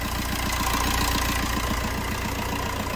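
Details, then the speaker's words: Fiat Punto 3 diesel after injector seal replacement: steady, even, clean idle with regular firing pulses and no more return-pressure puffing or hissing noise heard before the repair. "alors voilà donc là effectivement il n'y a pas photo entre le bruit avant l'intervention puis maintenant donc là on a un bris lui stable propre et plus de bruit de brut pression retour"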